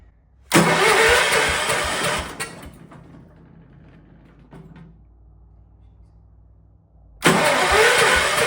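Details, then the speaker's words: Old Kohler 4,500-watt generator engine, free yard-sale unit, cranked on a small battery with no gas tank hooked up: starter whirs under two seconds, stops, cranks again; never catches, crank-no-start. "It's not gonna start because there's no gas tank hooked up to it."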